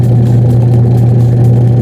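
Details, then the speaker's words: Washing machine with a slow/no-rotation problem, test run after repair: strong, steady low motor hum with no slipping, squeal or knocking; drum turning normally with good power. "Tingnan mo guys, maganda niya ang kanyang ikot. Yan oh, may lakas na"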